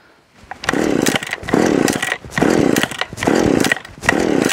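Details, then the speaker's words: Stihl 015L top-handle chainsaw, cold start, last run three weeks ago, choke lever and no primer bulb: five rough pulls, none catching; likely struggling to draw fuel into the carburetor after sitting. "so this one does not like to start that easily if it sets for a long time it's hard for it to get fuel up in the carburetor"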